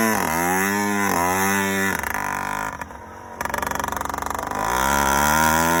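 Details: Yamaha YD100 two-stroke with Dio reed valve and 24mm OKO carburetor, choke on: uneven burbling idle skipping rhythmically, blipped revs sagging; four-stroking on a fat mixture; main jet change planned.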